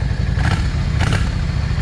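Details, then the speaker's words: Yamaha 650 V Star. Rough idle with sharp pops every half second from the front cylinder, which runs lean. Owner suspects the idle jet is clogged or too small despite cleaning it several times. "Yeah, you see all the backfiring and all that's that's a sign of that uh idle jet either is not large enough or it's clogged."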